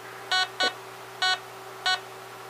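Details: Harbor Freight 9-function metal detector during trimmer potentiometer (RV11) upgrade and tuning: sharp high beeps at uneven intervals, one or two a second, over a steady low hum; false beeping from misadjusted trimmer, stopping near 62.5 V peak-to-peak.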